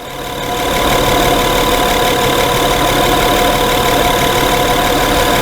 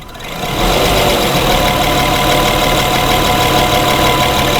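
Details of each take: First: 2011 Honda Pilot idling after repair of intermittent hot surging and stalling, run over 3 hours: the engine settles within a second into an even, steady idle with no hunting, surging or stumbling. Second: 2011 Honda Pilot hot idle, intermittent stalling: idle rises and falls in loudness with an uneven pulse, surging toward a stall.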